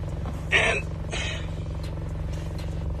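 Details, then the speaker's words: Vauxhall/Opel/Holden Astra at idle: fine buzzing rattle inside the cabin, not the engine mount, from a silver pipe behind the driver's side panel; touching the pipe stops it. "Any Vauxhall Astra Daewoo Astra Holden Astra They have a rattling noise. You start the car in the interior. Take noise from the interior."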